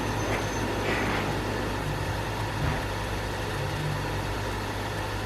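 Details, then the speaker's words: New Sony PS5 disc edition console: steady low buzzing hum with a faint rattle, from excessive fan vibration; owner suspects the cooling fan, later fix made it dead quiet. "a lot of people have been complaining about sounds noises excessive humming excessive vibrations and i think i may have solved this problem"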